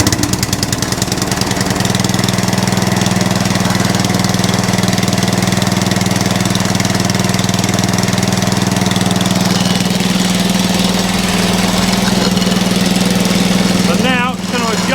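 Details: Atco Balmoral reel mower after adjusting so the belt moves freely off the output shaft, already much quieter: engine runs steadily with a fluttering rattle about two a second; drive belt still chattering, may need a new belt.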